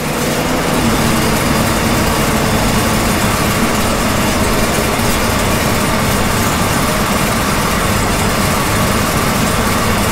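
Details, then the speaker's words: 383 small-block Chevy with Holley EFI at idle with air conditioning on, IAC opened farther: steady, even idle holding target speed, no hunting or dips; idle air control working properly. "now we've added the air conditioning and now you can see the iac is opened up farther and we're still maintaining the proper idle speed"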